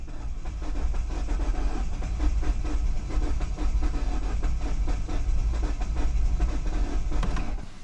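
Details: 2009 Mini Cooper S with the N14 turbo engine, unknown history, at a first start attempt around 68°F. Steady rhythmic cranking; it catches briefly but never fires and does not start. The cause is not confirmed.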